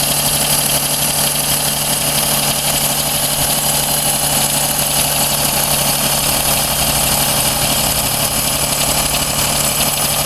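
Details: Daihatsu Cuore L7 EJ-DE, genuine 135,000 km, fresh filters, plugs and 0W-40 oil: light metallic ticking of about four per second over the idle, rpm-dependent, not from the cylinder head, quieter as the engine warms and in summer; source unknown.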